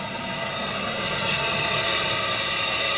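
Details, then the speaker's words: RC steam tug Côte d'Émeraude (Stuart D10) under 2.4 GHz radio throttle, exhausting plenty of steam: steady hissing steam exhaust with fast, soft, even chuffs and no knocks; the engine runs smoothly. "On voit pas trop la vapeur, mais vous inquiétez pas, il crache beaucoup."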